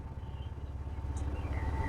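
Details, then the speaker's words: Ford Figo idling with RPM fluctuating 750–1000 and repeated stalling: lumpy, stumbling idle; scan shows knock sensor fault and cylinder 3 and 4 misfires, throttle body very dirty. "खटखटाहट, cylinder चार बार गलत firing हुई, cylinder तीन बार चूक हुई ."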